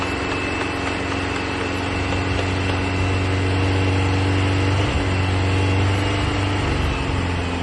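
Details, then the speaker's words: Rare 1960s air-cooled Porsche barn find, first start in about 45 years after new plugs, leads and exhaust; even, steady idle with a smooth low beat and no knocks or rattles, running fine. "There's still loads to do, of course, but it felt fantastic to hear it fire up."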